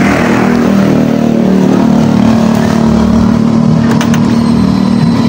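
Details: Honda Scoopy eSP scooter, cold engine: rough, uneven, lumpy stumbling beat at idle with no clean steady note, hesitating and struggling to move off when cold; fuel pump pressure normal, idle slightly low, cause not yet found.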